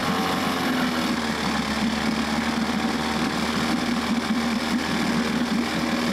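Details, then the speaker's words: 1994 Johnson 6hp two-stroke outboard from auction, running on choke with fuel fed directly. Fast, ragged, weak buzzing putter. Spark present; compression only about 60–67 on the top cylinder, mediocre compression. "So we've got spark, we've got a very mediocre compression."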